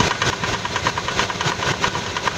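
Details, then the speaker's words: 1999 Ford Expedition 5.4L Triton V8 at idle: loud, dull rapid clacking from the rear of the passenger-side valve cover, tied to engine speed, not metal-on-metal; began days after purchase; valve train fault suspected. "it started making a real loud clacking noise out of the passenger side valve cover and so if you start it you can hear it"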